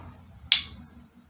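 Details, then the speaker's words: Toyota transmission shift solenoid bench-tested with a test bulb on battery power: one sharp, strong click as the negative wire is disconnected, a weaker click on connecting; plunger moving, solenoid passes. "so do you hear that big click once I took off the wire from the negative it also clicks when I connect it but not as strong as when I disconnect"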